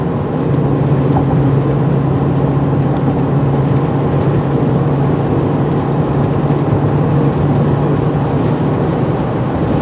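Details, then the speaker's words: Chevy truck test drive after installing tire balance beads: steady road drone with rough shuddering undertone and rattles as speed rises, whole truck shaking; beads didn't fix it, owner suspects a bad tire. "Hear the whole truck shaking, and take it up a little faster and see if it gets better or worse."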